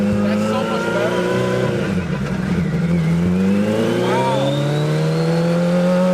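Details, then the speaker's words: Hayabusa-swapped 1970s electric CitiCar after draining fuel-smelling oil: engine note climbs smoothly and cleanly under load, no misfire or stumble, sounding much better; normal acceleration. "drain all the old oil out it did smell like gas just kind of concerning but I mean it's a Suzuki wow sounds so much better"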